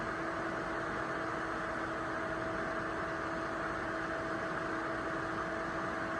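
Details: ACMEMATION 120mm 4-pin PWM PC case fan, 2700 rpm max, tested running. Steady airy whoosh with a faint constant hum and no ticking or rattle. Normal fan running.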